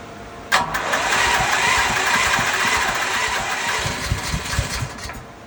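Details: Westinghouse WGen10500TFc tri-fuel generator on natural gas, hard starting since purchase: short crank burst and rough, uneven churning that never settles or catches; it needs about 5 minutes of attempts, then runs normally; cause unknown.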